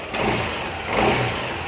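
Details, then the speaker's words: Yamaha New Aerox scooter after repairing a broken wire that had disabled the speed sensor and ISC: engine blips up cleanly and settles back to idle without stumbling or hunting, ISC regulating air normally; revs normally. "Hai besar karena dia mengatur angin terlihat turuna jadi ini udah normal ya"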